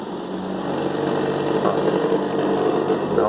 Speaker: ela tá ligando tá questão que sendo tá gerando meu o ar é mas só que ela tá fazendo um barulho estranho veja bem